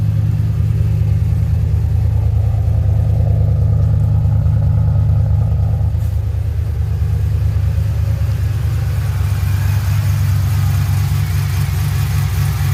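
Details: 2007 Pontiac GXP starting and idling after head bolt thread repair (suspected blown head gasket or unsealed head after coolant loss): steady deep rumble, even beat, no knocking or misfire; normal.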